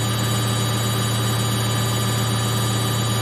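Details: Samsung 8kg Eco Bubble front-load washer, fast spin in last 4 minutes of baby care cycle; steady even low hum, constant pitch, no thumps or rattles: very stable, no vibration.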